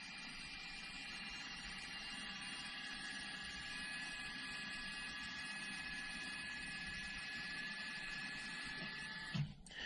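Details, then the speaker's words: Car with electric parking brake, ignition on and vehicle stopped, calipers retracted for pad replacement by an Xtool D5S scan tool: a steady electric whir for about nine seconds, then a soft clunk as the caliper motors finish. Normal operation. "and there they are they're retracted and just to make sure that you can hear them go back the other way so right now they're retracted to where you could put breake pads on your vehicle"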